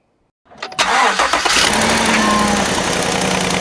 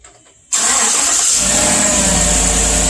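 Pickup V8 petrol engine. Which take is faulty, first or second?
first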